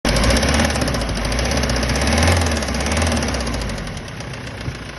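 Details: Kia Sorento 2.5 CRDi D4CB 170 hp diesel, warmed up, idling: steady, sharp metallic knock on each firing beat, roughly two to three per second; engine knock.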